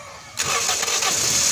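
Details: Toyota Vios being checked for hard starting via the fuel pressure regulator check valve: a brief crank catches almost at once and settles into a steady running note; the engine fires promptly.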